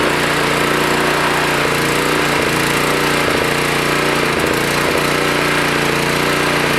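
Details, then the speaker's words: Toro Power Clear 621E snowblower, 163cc OHV four-stroke, running from an external fuel tank without its primer: the beat rises and sags every second or so and never settles. The owner suspects another new carburettor is needed; surging idle. "oh my key works anyway yeah still surging ah damn another new carb i guess"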